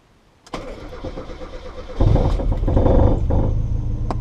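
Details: Mazda MX-5/Miata first start after standalone ME221 ECU install: cranks about 1.5 seconds, fires and settles to steady idle, stumbles slightly on throttle; starts normally.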